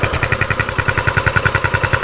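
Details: Coleman CT200U-EX mini bike after a carburetor cleaning, on choke with the air filter off: steady, even single-cylinder putter of about seven pulses a second, a healthy idle.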